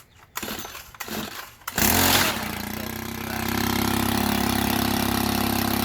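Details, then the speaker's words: Stihl FS90R string trimmer after spark plug replacement with an aftermarket plug: it catches at once and settles into a steady even buzz that firms up slightly; it runs properly. "Sounds good, I guess. Did you have the thing all the way down? You choke, yeah."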